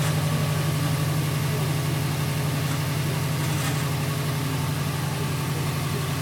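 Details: 2008 Subaru WRX, cold morning idle: steady low drone with soft rhythmic pulsing about four times a second, louder when feathering the clutch, gone with clutch pressed; noise at cold idle, cause unknown.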